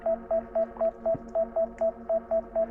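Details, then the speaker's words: DJI Mini 5 Pro drone controller during a waypoint mission in cold weather (about 0 degrees), drone hovering and not landing: a steady mid-pitched beep about four times a second repeating without pause, a continuous controller warning of unknown cause. "Let's come forward and get rid of the beep. There we go. Oh, no. Come on. Okay. I don't know why it's still beeping."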